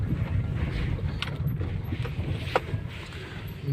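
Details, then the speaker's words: Opel Zafira driven deliberately over potholes at night; dull front-end thuds from the passenger side over road rumble, quieter than before; owner suspects a strut and bought new shock absorbers; source not pinned down. "Ну, теперь стук уже не такой громкий. Не знаю , может, мне стоит спустить воздух из шин до 1,8 литра? И всё же, что-то где-то есть."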